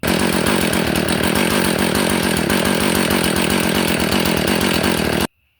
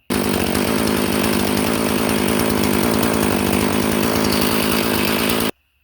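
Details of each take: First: Husqvarna 450 after carburetor replacement: slow, lumpy idle, barely staying alive before shutdown. Idle speed set too low, common on aftermarket carburetors, which raises flooding risk; fix is to raise the idle. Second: Husqvarna 450 chainsaw after carburetor replacement, idle speed raised: steady, even two-stroke idle with no surging or stalling. Idle now set right, so it starts easier and resists flooding.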